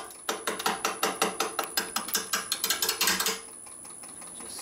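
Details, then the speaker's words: Maple burl bowl blank turning on a lathe at faster spindle speed: sharp rapid clacks about three a second, then a smooth quiet run, as the gouge cuts and misses on the lopsided burl corner and kicks; turner presses the tool down more firmly to limit kick. "kicking a little bit because it's cut and miss and cutting and missing trying push down on the tool a little bit more firmly than you normally would to try and stop the door from from kicking too much"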